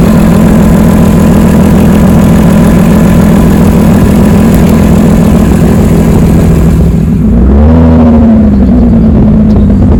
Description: This is just to show how an exhaust leak will sound like….